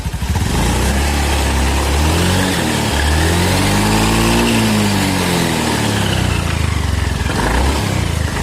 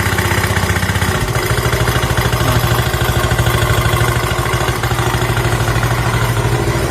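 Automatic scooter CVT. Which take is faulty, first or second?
second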